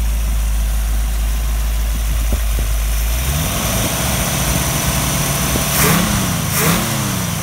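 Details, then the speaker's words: Model A Ford hotrod chassis with rebuilt, broken-in 1965 Chevy 283 V8, quiet temporary mufflers: deep steady idle rumble, then two smooth clean revs rising and falling without knocks or misses; normal idle. "Mufflers, they're very quiet mufflers, temporary hung, so the break-in period, you can hear the motor."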